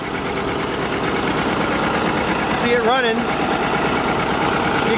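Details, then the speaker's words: 1957 John Deere 820 diesel tractor with pony-motor starting engine, idling steadily; a brief high chirping squeal rising and falling is a squeaking water pump. "can definitely hear the squeak of the water pump."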